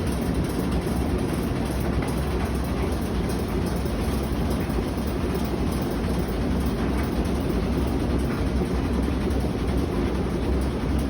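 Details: Whirlpool WTW5600VQ0 washing machine on spin cycle: heavy, continuous rumble and clatter with no clear rhythm, and the machine shakes hard and moves about; loud rumbling during spin, cause unknown.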